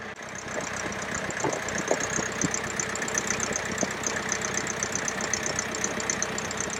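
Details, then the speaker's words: International B276 tractor diesel after annual service (new oil, oil and fuel filters, fuel bled, tappet clearances reset), running without exhaust silencer: loud, steady even beat about four per second, earlier tappet noise gone. Normal idle after repair. "well as you can hear it's certainly sounding a lot better no we're not getting that tepid noise that we were getting before so that's fantastic news"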